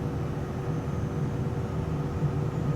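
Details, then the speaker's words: Cessna left turbine engine, cross-generator start, N1 rotation before 25% at fuel introduction, much cooler start than the right: steady low rumble building evenly through light-off with no surging or bangs; normal start. "We got rotation, introduce fuel. It'll hit ignition, fuel flow, oil pressure, rotation of N1 before 25%, which is good."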